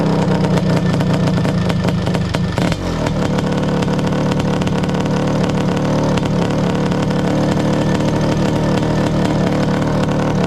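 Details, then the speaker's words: Honda CR500 two-stroke Schwinn trike, stinger exhaust, after jetting down: loud revving settling into a harsh, flat, crackly run; owner says it sounded a little lean, plans air screw adjustment, exhaust needs resealing. "Well, you can see I still got some fine tuning to go. So, now that sounded a little lean."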